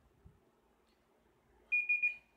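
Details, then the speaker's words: Samsung air conditioner control board: indoor unit otherwise quiet, three quick high beeps as the blower motor fails to run; its motion sensor signal is missing, so the board locks out with an error code. Blower motor failure suspected. "Como pueden observar el motor del blower no funciona y creemos que ese puede ser el daño como tal"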